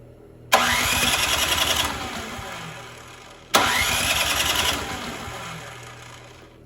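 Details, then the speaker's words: Poulan Pro 961980056 24-inch 208cc snowblower, won't start after sitting, fuel of uncertain age, primed and given starting fluid: engine catches twice, revs briefly, then dies within two seconds each time; fuel starvation, carburetor issue suspected. "so I'd say uh we got a carb issue here let's tear into it"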